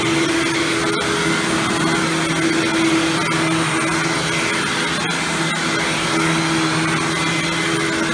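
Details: Hoover Windtunnel Supreme upright vacuum after motor replacement, test run without headlight: steady, even motor whir at constant pitch, no grinding or rattles, much better than before and no longer the loud wind-down sound; normal running.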